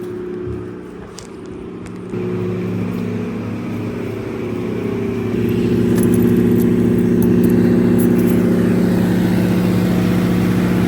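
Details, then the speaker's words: High school emergency backup generator during a simulated utility power outage, transfer switches closed on generator power and feeding load; loud, steady, even drone that settles slightly louder as load comes on; normal running under load. "It is pretty noisy. Obviously, the generator is running. You can clearly hear that."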